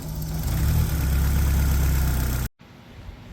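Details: Nissan S12 with a swapped SR20DET turbo engine; exhaust checked after sealing the turbo dump pipe joint with JB Weld, sealant and a gasket. Steady deep drone through a brief rev, then cut off; no hiss or leak puffing.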